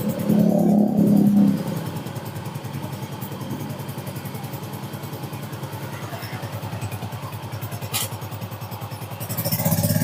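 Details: Soul GT scooter, previously very noisy at idle from the engine area even with CVT removed, now with CVT refitted: starts and settles into steady even idle without harsh rattle.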